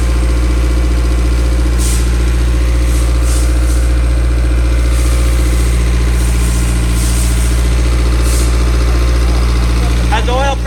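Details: 1000 hp K-series jet boat that wouldn't restart, after ECU grounds were run directly to the battery and settings reverted. A loud, deep, steady engine note runs evenly for ten seconds without stumbling or surging. Normal running.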